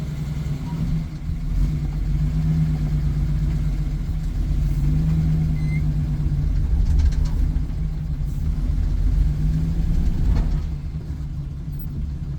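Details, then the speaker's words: 1983 Nissan Patrol barn find, stored for years, first short driveway drive: deep steady idle with an uneven stumbling beat; engine still has a misfire. "Can you hear it probably? You might be able to hear it. It still has a misfire."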